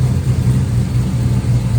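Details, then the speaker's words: LS-swapped 1954 Chevy Bel Air idling after replacing the number one injector, found dead by listening for clicking: steady, even low idle with smooth lope, no skipping beat, no leak; sounds much better, running on all cylinders. "It's not leaking there. Okay. Sounds better."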